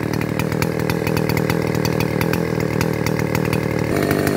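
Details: Neotec 8105 (Stihl 070 clone) chainsaw, pre-refurb, briefly run earlier to warm up: steady even two-stroke burble holding without stumbling, stepping up slightly near the end while warming; normal idle.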